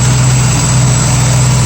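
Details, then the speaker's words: 1965 Mustang V8 idling warm after aluminium radiator and electric fan install, about 190-205 degrees, 20 psi oil pressure at idle: steady, even low rumble without the old fan roar; normal idle. "sounds much better probably five or ten horsepower from that fan"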